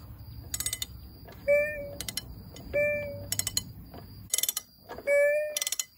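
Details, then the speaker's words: Junkyard 26 hp Briggs & Stratton Intek V-twin that sat upside down, rainwater entering via the muffler into the combustion chamber, turned by hand with a big ratchet on the flywheel nut: ratchet clicks then drawn-out squealing scrape each pull from a rusted cylinder. "now I guarantee it that combustion chamber was filled with water I was able to find a socket big enough to go over the flywheel nut and it takes this giant ratchet and yeah just listen to it"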